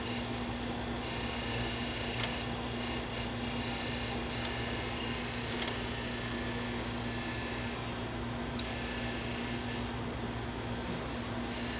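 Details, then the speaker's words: JVC SR-W7 W-VHS VCR bought on eBay with multiple faults: steady low hum with hiss and the odd faint tick while the head drum spins; worn head drum, possibly damaged where a bent arm hit the drum motor. "is shot on the drum. That's what it sounds like."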